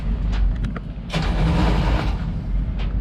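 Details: Luhrs 28 boat engine just started after lubing the shift and throttle cables: low, uneven rumble with a throttle blip and an irregular, lumpy beat underneath; doesn't sound right, running rough, cause not yet known.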